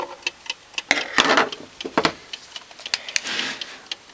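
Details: Old British Venner wind-up time switch, 15 A 250 V, possibly early 1970s, cleaned and reassembled, set to switch on for an hour: crisp, even ticks about four a second with some handling rustle; clockwork running properly.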